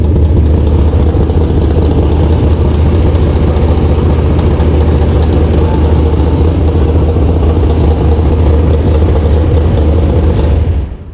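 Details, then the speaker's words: Mopar carbureted V8 after setting valve lash, changing carb jets and an oil change: deep, choppy cammed rumble holds steady with no ticking or misses, revs well, no carburetor leaks, then shuts off cleanly. "There's no leaks in the carburetor anywhere, and everything sounds fine. It's revving good."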